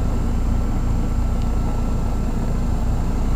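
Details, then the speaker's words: 1988 Heil heat pump on a commercial property, iced over solid, still running and never entering defrost; dull steady drone with a thin high whine. Suspected faulty defrost control board. "this is the most frozen heat pump i have ever seen it is an old heil and as you can see it's actually still running and just started making that noise"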